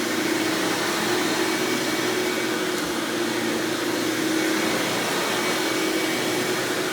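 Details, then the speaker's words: 1997 Hoover Dirt Finder self-propelled upright, model U6331-930: loud steady high-pitched roar with an even hum underneath, no surging or rattles; motor runs smooth and healthy, this Elite style being known as loud. "ahead and turn this thing on and demo it for you guys so you can hear just how smooth this thing runs"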